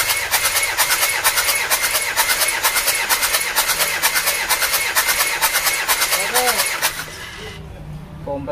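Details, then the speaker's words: 1997 Panther with heavy oil consumption, cranked during a compression test; a steady, even beat about twice a second with no skipped or weak strokes; reading of 26 bar against a 21 bar minimum, so compression is healthy. "Oke 26 bar teman-teman kompresinya standar sebenarnya 26 bar itu masih bagus karena bawahnya itu ada di 21"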